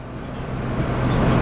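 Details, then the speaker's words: 2002 Ford F150 XL regular cab, manual with clutch, 172,000 miles, started in hot weather: cranks up on the first try, catches and settles into an even idle, getting a bit louder as it picks up, no knocks or misses; healthy. "put my foot on the clutch crank it up papi doggone it crank right up on the first try I like that"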